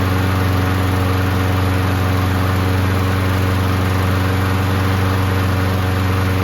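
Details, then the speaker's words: Toro Recycler mower after repairs, primer working and kill-wire cable found detached: the small single-cylinder engine runs steady and even at a fast, regular beat with no misses or knocks; sounds healthy. "Man, this engine sounds good, doesn't it?"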